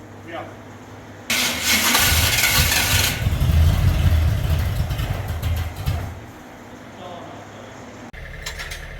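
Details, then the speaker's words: Small-block Jeep starter after shimming: harsh metallic grinding for about two seconds as it engages, then rough cranking. The starter is chewing on a damaged flywheel, and the shims failed to fix it. "there was damage on the flywheel and the starter we were hoping that a couple of shims would uh limp it along but one shim two shim three shim no buo"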